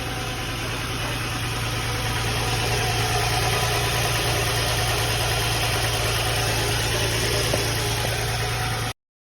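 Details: Nissan 350Z/G35 at steady idle after valve cover gasket replacement: rough, breathy puffing at about four beats a second over the engine note. Engine runs perfectly; more than one hole in the exhaust, likely needs a new exhaust.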